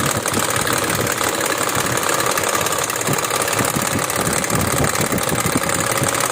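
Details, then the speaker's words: Classic BMW 2002 petrol engine idling: dull knock from inside the engine at about three per second under busy mechanical clatter; the engine is then removed from the car for repair. "इस गाड़ी के engine के अंदर से sound आ रही है वह नागिन आंच आ रही है"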